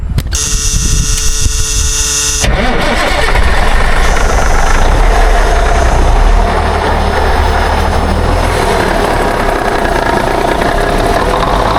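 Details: 1962 Kenworth W925, Cummins Big Cam diesel, sat 18 years, after the fuel lines were replaced and the filter topped off. The starter grinds about two seconds, then the engine catches and settles into a low, even idle running on its own tank.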